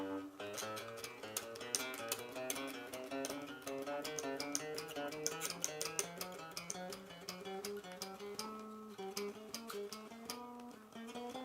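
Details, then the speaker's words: Trem Explorer bass with Hipshot tremolo, tuned a half step down, after truss rod neck tension was slackened and the neck is fairly straight, plays clean steady notes with no fret buzz. "No buzzing."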